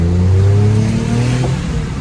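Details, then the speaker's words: Suzuki Every on test drive after engine overhaul replacing worn valves, guides and seats; engine pulls smoothly up through the revs with even steady note, no knocks or ticks; healthy. "और गाड़ी की हम test drive ले रहे हैं। गाड़ी माशाल्लाह बिल्कुल यस हो गई है।"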